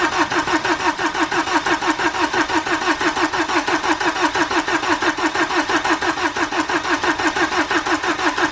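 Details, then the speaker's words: BMW N47 diesel after timing chain replacement, battery charged overnight: steady, even cranking about one and a half beats a second with no catch yet, extended cranking while fuel pressure builds to the rail and injectors. "obviously it did do a lot of cranking before it finally fired up and that's because it had to wait for the fuel pressure to build up and finally get to the fuel rail into the injectors and obviously into the cylinders"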